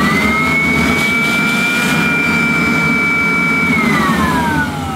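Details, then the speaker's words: Kirby Classic III vacuum cleaner, motor run with agitator removed; owner suspects something faulty at the switch end. Piercing whine climbs, holds, then sags as motor winds down; abnormal high-pitched motor scream not typical of a Kirby, cause unknown. "it's not that high pitch scream that you do not associate with Kirby no oh dear"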